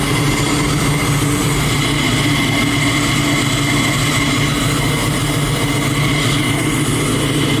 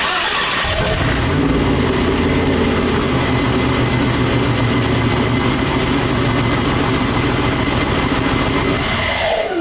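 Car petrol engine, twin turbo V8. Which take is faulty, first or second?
second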